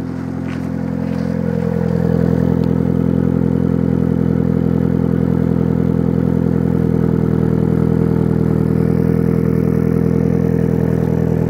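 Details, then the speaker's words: 1997 Mitsubishi Eclipse GSX at idle with the AC belt removed: constant gritty whir and rough rasp from the timing-belt end; later traced to worn water pump and alternator bearings, and replacing the water pump silenced it. "do any of you guys know what this sound is if you do it's quite bothering me"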